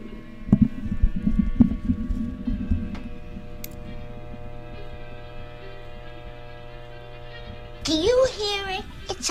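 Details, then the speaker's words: 1931 Atwater Kent 84 barn-find radio at first power-up, transformer slightly warm: steady low buzz with a squeaky edge and some thumps, unaffected by the volume control. Cause unknown. "funny squeaky sound at least something's coming out of there volume control has no effect on that buzzing noise so we got other issues with this"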